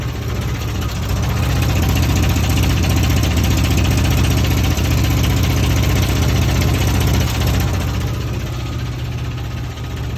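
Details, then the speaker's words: 1971 Jeep CJ5, Buick Dauntless odd-fire V6, just bought, at startup idle: loud, lumpy idle with a clanking beat about three times a second over the rumble; owner unsure if normal, cause unknown. "Is this the odd car? There's that clinkity clank. Something that shouldn't be clanky clanking."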